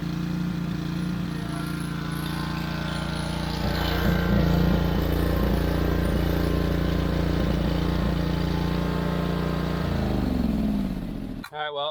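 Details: Wright Stander stand-up mower engine after carburetor replacement (it previously would not stay running): steady, even drone holding pitch about ten seconds, then smooth wind-down at shutdown; running clean, tank fuel grommet still leaking.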